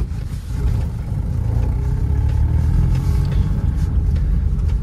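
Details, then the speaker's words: 2011 Chevrolet Cruze 1.6 manual, 258,000 km, driving over gravel: only low tyre rumble, no clunks or rattles; suspension quiet and healthy. "щебёнки У нас тоже тишина подвеска отрабатывает Хорошо"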